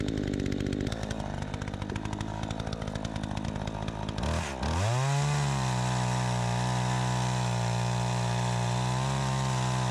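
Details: Troy-Bilt 20" two-stroke chainsaw after carburetor adjustment, cutting wood: a rough, pulsing idle, then a clean rise to a steady, strong high rev that holds under the cut; the owner may adjust the carburetor further for more RPM.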